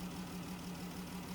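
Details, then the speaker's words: 2017 Dodge Journey idling with a P0202 misfire: steady low hum with a regular stumble as cylinder 2 goes dead; its injector had no control signal because the PCM's injector 2 driver failed, confirmed as the PCM. "PCM driver on injector 2 failed and it actually was the PCM"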